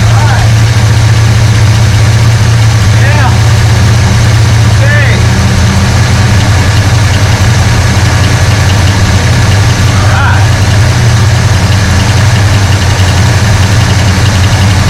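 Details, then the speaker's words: 1969 Hurst Olds with a Quadrajet carburetor and a newly installed choke. Engine catches and settles into a steady, deep fast idle with an even beat and no misses; the choke is holding the speed up. Normal fast idle. "I'm going to hit starter again, see if it fires back up on the fast idle, and see where this takes us."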